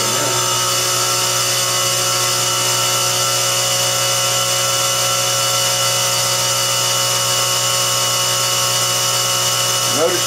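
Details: Well pump after the water-logged tank was drained and its micronizer (aerator), clogged with plastic bits, was cleaned: steady motor hum with constant high whine, running a normal long cycle of about a minute with no chatter.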